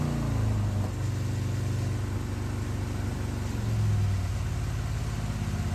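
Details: Custom 2020 Harley-Davidson Road Glide, 130-inch T-Man Performance Stage 4 V-twin, warmed up, on the dyno. A deep, strong roar holds load evenly, pitch rising smoothly with no knocks or misses. Result is 155 ft-lb of torque and almost 153 hp, 140 ft-lb at 2600 rpm. Normal engine.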